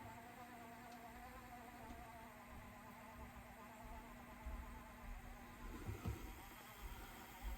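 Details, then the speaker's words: Sony DTC-75ES DAT deck after new gears and sensor adjustment, fast-forwarding while reading tape; BLDC motor, owner unsure why it is so slow; faint steady low whine under soft hiss; normal fast-forward motor whine. "so it can read the tape that's good as the motor is not powerful enough and it's uh BL DC motor so technically it should work like direct drive I'm not sure why it's so slow"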